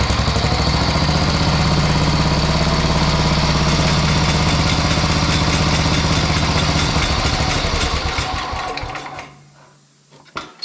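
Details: Sears Suburban 12 vintage lawn tractor with a Tecumseh 12 hp single-cylinder, after wiring and fuel-tank repairs and new rear tires, started for a test drive: it putters evenly at about four beats a second, then winds down at shutoff. It runs fine.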